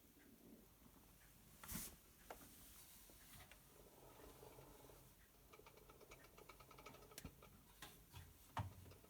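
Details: Hotpoint BHWMD732 washing machine, under 12 months old: quiet, irregular light clicks over a soft mechanical hum as the drum turns, worse when spinning anti-clockwise; nothing is found stuck in the drum, and the cause is unclear.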